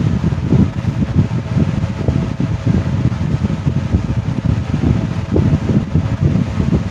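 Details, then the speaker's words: 1970s 16-inch Toastmaster box fan test-running with a replacement blade taken from a 1940s desk fan. Even, low whoosh with no knock, wobble or scrape, so the blade spins true on the shaft. "okay here we go oh okay wow that is spectacular"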